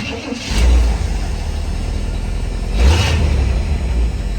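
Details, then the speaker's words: 1983 Chevrolet C10 V8 after an exhaust change that cleared a major blockage: fires and settles, two quick throttle blips, low muted exhaust note; healthy, quieter than the owner wanted. "Now, any of y'all who know me know that I feel like if you have a V8 in your vehicle, it should sound like a V8, not this."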